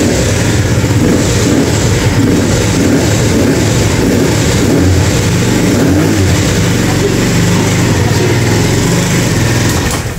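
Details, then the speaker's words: Kuba Valentino 50cc scooter after engine rebuild: starts on the first press, steady even drone with a quick regular beat and no knocks or rattles; normal healthy running. "Bismillahirrahmanirrahim bakın ne ses var ne Seda var çiçek gibi Tek marşta çalıştı gördünüz mü"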